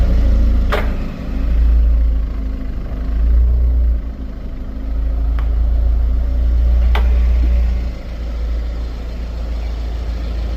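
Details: 2019 Genesis G70 2.0T with Brembo brakes: over a low rolling rumble, sharp isolated ticks from the front wheels at low/crawl speed; owner suspects pad play, cause not confirmed.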